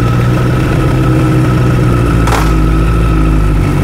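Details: Honda CBR1000RR after replacing gearbox with a used set due to a broken third-gear tooth from quickshifter use: idles steadily in gear with an even beat and no knock from the bottom end; one brief clack, otherwise healthy.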